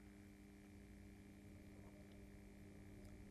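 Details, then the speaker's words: Bachmann 44T switcher with DCC, first power on NCE Power Cab at 28 speed steps, early speed steps: steady low buzz with thin whine, rising slightly in pitch each step, but loco doesn't move; motor energised, not turning. "the farting has not changed in amplitude or frequency okay three I did hear a change in the farting four yeah it seems to be getting slightly higher in frequency"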